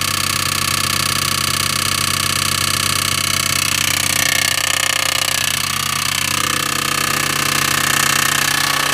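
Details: Audi A6 2.7T, used replacement engine, noise appeared after 50 km, aux belt removed: sharp, hammer-like metallic rapping about three a second, steady with engine speed. A backed-out, probably untorqued backplate bolt was striking the flywheel backside.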